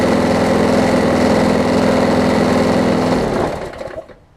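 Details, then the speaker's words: Craftsman 22-inch push mower after bending the throttle linkage to fix overspeed, blade not yet replaced: steady, even buzz at constant pitch, then the engine cuts and winds down; speed much better, perhaps slightly low. "it's much better it could go a little bit faster but i'm not going to change that"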